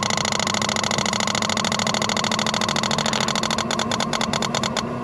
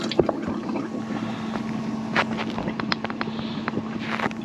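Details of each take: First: Bailey motorhome water pump after priming, on leisure battery: buzzes steadily about seven seconds without cutting out, then stops amid clicks and handling; keeps running on, pressure switch thought to need adjusting. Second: Bailey motorhome fresh water system, submersible pump priming with taps closed: steady low electric hum under splashing and handling noise; pump running normally.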